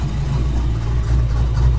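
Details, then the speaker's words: Foxbody Ford Mustang idling after new fuel system install (255 lph pump, -6AN lines), check engine light on, good oil pressure and charging: steady, even low rumble without knocks, misses or hunting; normal idle. "Check engine light on, not sure why, but looks like we got plenty of oil pressure, battery's charging, so we're gonna let her idle."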